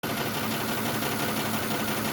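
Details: 2006 Lexus ES330 V6 idling with a busy, slightly uneven chatter; cylinder 5 is dead because of a stuck-closed fuel injector, confirmed on a scope with an amp clamp on the coil and injector power circuit.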